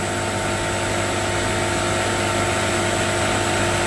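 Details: NAVAC NR7 refrigerant recovery machine running on fast, recovering refrigerant from a leaking system: steady even motor hum at constant pitch, smooth pumping, no knocks or rattles; normal operation.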